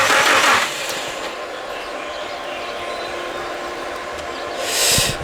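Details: Nissan S15 revival, fuel system reworked and power confirmed at fuel pump, start attempt: starter turns steadily for several seconds with no firing and no catch; engine cranks but will not start.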